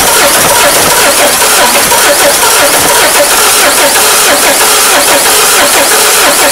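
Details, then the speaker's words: Peugeot 307 HDi 2.0 common-rail diesel that died while driving and would not restart: the starter spins the engine at a steady, even rhythm, but it never catches; cause not yet found. Crank, no start. "ponemos contacto enseguida paga el rulo gira gira y no arranca"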